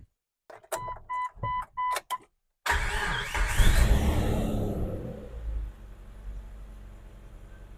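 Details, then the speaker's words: 2000 Jeep Wrangler TJ 4.0L, just after replacing the serpentine belt tensioner, idler pulley and belt: dash chimes, then the engine starts and settles into a smooth, quiet normal idle with no belt squeal or chirp. "Sounds good. Now we got everything installed. We should be good to go for hopefully another 50 to 75,000 miles, give or take."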